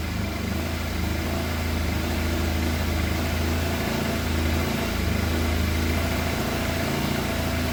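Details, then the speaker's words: Fire-damaged Yamaha FZ750, 41,000 miles, started with a jump pack after the throttle cables and idle screw were adjusted: uneven lumpy four-cylinder idle with wandering pitch; firing on all four cylinders judged by temperature, but running rough. "it is firing on all 4 cylinders because it's running, but it does not sound happy."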